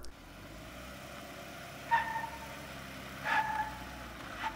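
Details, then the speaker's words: 2015 Jeep Wrangler Rubicon in part-time 4WD high, lockers disengaged, tight parking-lot turn: three short high tire chirps over low engine rumble as the drivetrain binds with no center differential. "good you can actually hear the chirping in the binding of the drivetrain what is going on here is the transfer case has to send equal rotational speed to the front and rear driveline"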